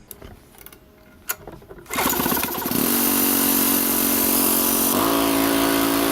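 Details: Home Depot gas-engine air compressor, after unloader repair and bad water-contaminated fuel replaced, cuts out at 150 psi and back in at 120: engine catches and settles into a steady, even run with a slight load change partway; runs normally.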